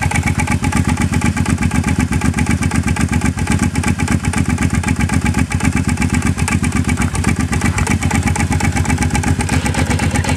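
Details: Motorcycle idling with a loose, regular clunk about four times a second over the engine beat; source not identified.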